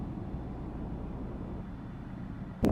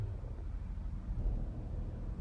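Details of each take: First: Chrysler with code P2173 vacuum leak, earlier misfire and shaking, after repair and throttle relearn: steady even low rumble driving about 60 mph, no vibration, misfire or check engine light. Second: Chrysler (Jeep/Dodge) with code P2173 high airflow vacuum leak: engine shakes and misfires with low, uneven rumble and irregular stumbles, no rev response, throttle seemingly not working; caused by vacuum leak letting unmetered air in.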